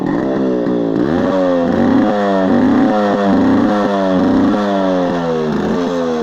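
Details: Yamaha RX135 two-stroke after exhaust leak repair with M-seal: revs rise and fall cleanly, crisp even exhaust crackle, no puffing or ticking; exhaust sealed, running healthy.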